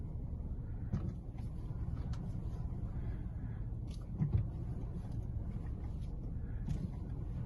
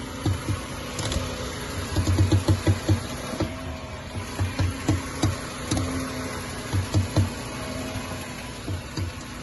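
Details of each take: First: VW Jetta 2007/08 with air suspension, steering test after fitting Fox strut bearings: low engine rumble while the wheel is turned, only a few soft bumps, no creak from strut mount or bearing. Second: Air-suspension VW Jetta (still on original bump stop) creaks when the steering wheel is turned: low, rapid creaking pops in clusters over idle hum, from strut mount, bump stop or bearing; can also come from wrong assembly.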